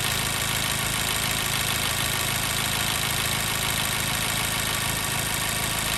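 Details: 2014 Mazda 3 2.0L with P0302 cylinder 2 misfire, warm after about 8 to 9 minutes running: uneven idle with a recurring dropped exhaust pulse; the miss shows only when hot, cause not yet confirmed.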